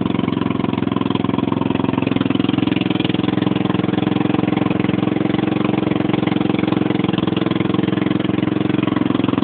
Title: Loud noise coming from 150 cc scooter